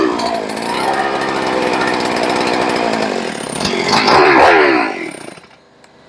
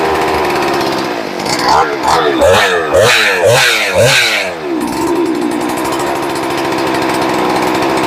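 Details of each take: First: Rebuilt ported, decked Husqvarna 394XP chainsaw, first fire: rough low buzz, brief rev, then dies; idle needs turning up, throttle response good, decompression button possibly sticking. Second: Rebuilt ported, decked Husqvarna 394XP chainsaw, first fire: two-stroke snaps through five quick throttle blips, drops back to steady idle; crisp throttle response, idle needs turning up slightly.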